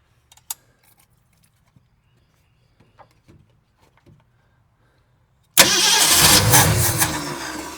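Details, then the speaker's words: 1969 Ford Mustang V8, sat 30+ years, gas tank feed: quiet clicks, then two seconds of hard cranking without catching. Fuel starvation, because the hose from the tank looped upward. "I have my gas tank, my hose here looped way up and then went down. Well, gasoline does not go up, it goes down."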